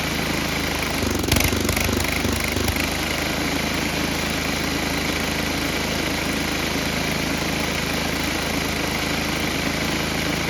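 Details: Tecumseh HM80 8 hp single-cylinder on old MTD Snowflite 8X26 snowblower, just after carburetor replacement, primed and started: steady, even run with no surging or stumbling after a brief throttle blip; new carburetor works, minor tweaks to follow.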